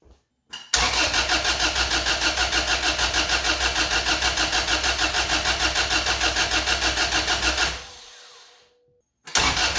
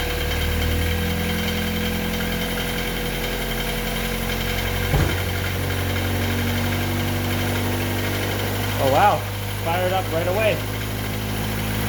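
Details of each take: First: Honda Civic/CRX with B18B1 swapped in for D16Y8, first start attempt: starter churns steadily about three pulses a second for seven seconds, never catches; no spark on cylinder one, suspected wrongly pinned homemade jumper harness. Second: Honda Civic/CRX (EF9/ED7) with a B18B1 swapped in for the D16Y8, first start after repinning the jumper harness: steady, even idle with a smooth low hum and no knocks. No check-engine lights; coolant still bleeding.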